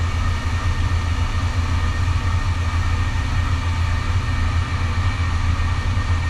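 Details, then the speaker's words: Engineered Air heating unit after blower motor replacement and reopening closed fire dampers, setpoint lowered: steady deep even burner roar without surging, rattles or pops, then shutting off as needed; normal burner operation. "there it goes okay so it kicked off so it's doing what it's supposed to do turn it on and off as needed"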